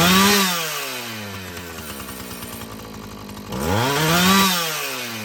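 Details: Husqvarna 445 chainsaw after cleaning and tune-up: a crisp rev to high speed, a clean drop to a steady idle, then another quick clean rev with no bogging; it runs well, though the carburetor diaphragm may need more adjusting.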